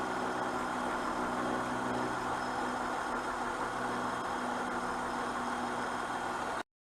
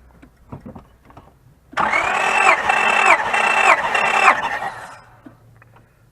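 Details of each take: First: 2004 Honda Pilot with code 1399, compression 195–210 psi: steady idle with a faintly uneven, lumpy beat about three pulses a second; misfire, coils suspected, cause not confirmed. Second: 2004 Honda Pilot with misfire and code 1399, compression test cranking: steady starter whine with even compression pulses for about three seconds; compression sounds healthy and balanced.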